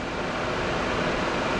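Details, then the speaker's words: Kawasaki Mule 2510 radiator fan with its switch wires jumpered: a steady, even rush of air with no rattle or flutter, showing the fan and wiring are good. "There's our two wires from the fan or from the switch. I'm just going to put a jumper in there and see what happens."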